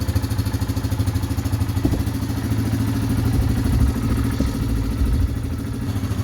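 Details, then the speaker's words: 2016-2018 Yamaha Kodiak/Grizzly 700 fuel-injected ATV, warmed up after oil and filter change: steady low putter at idle, about three pulses a second, no knocks or rattles; normal idle. "All right, so it should be warmed up. Everything should be good and warm."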